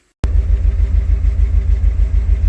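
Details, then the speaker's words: 1984 Porsche 928 V8, first start after 16 years on starting fluid after ignition and fuel cleanup, good oil pressure: deep idle with uneven lumpy beat and occasional soft stumble; slight misfire the owner hopes clears with driving. "it's missing a little bit as you'll hear in the videos but I'm hoping as I Drive it here it gets going"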